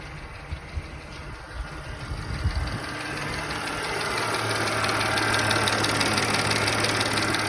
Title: B8 S4 Loud ticking noise idle